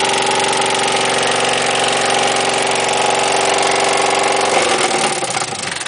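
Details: Freshly rebuilt engine about 10 minutes into break-in; harsh, rapid metallic clatter about four per second, then it dies abruptly; cylinder 1 intake valve appears to have broken and dropped into the cylinder. Dropped intake valve.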